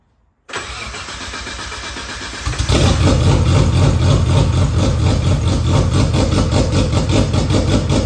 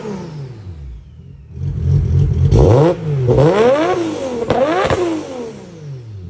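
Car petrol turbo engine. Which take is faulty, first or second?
first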